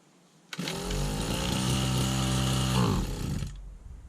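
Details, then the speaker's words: 1991 Victa VS19 straight-shaft two-stroke strimmer with the carb just refitted: it buzzes for a few seconds, sags as throttle is applied, then dies, stalling on throttle. Throttle cable adjustment is suspected, since the cable is old. "As soon as I gave it throttle, that's where it cut out. So, yeah, I think it's a throttle cable adjustment because it's old, obviously."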